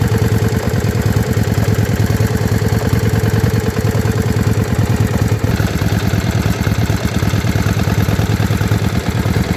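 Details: Yamaha Virago XV535 V-twin with a lumpy, uneven idle and a stumbling beat about three times a second; one spark plug heavily carbon-fouled. Misfire, carburettor tuning suspected but not confirmed.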